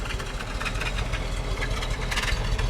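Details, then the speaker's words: Original 1966 Buick Wildcat, 10,000 miles, 425 cubic inch Nailhead V8, automatic, heard at the tailpipe: deep rumbling burble, steady and even with no misses or knocks; idling smoothly. "We'll listen to the nailhead. We'll let it idle. Okay. I'll walk to the back and listen to it idle."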